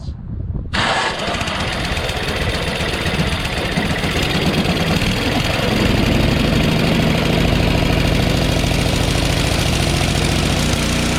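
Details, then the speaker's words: Craftsman 5.5HP 24-inch two-stage snowblower after valve grind for low compression: electric start catches at once, steady idle over ten seconds, no stalling with auger engaged, more powerful than before. "remember when we engaged the auger it would stall it's not stalling"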